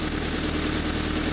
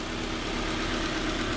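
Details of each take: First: Honda Civic four-cylinder after rod knock repair, at idle: light quick constant tick low on the engine, suspected exhaust leak; no power steering squeal, no shaking. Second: Honda Civic four-cylinder after rod knock repair (new main bearings and one rod bearing cap): steady, even idle with a smooth low hum and no knocking; bottom end sounds healthy, back on the road.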